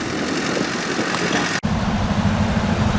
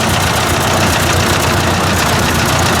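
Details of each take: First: Ford 800 tractor pulling a disc: steady, even engine note with no misses or knocks after a brief dropout, running well again; owner wonders if timing had been out, unconfirmed. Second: Ford 800 tractor with heavy disc attached: loud, ragged engine roar that won't settle to an idle; owner suspects low compression, no blue smoke seen; cause unconfirmed.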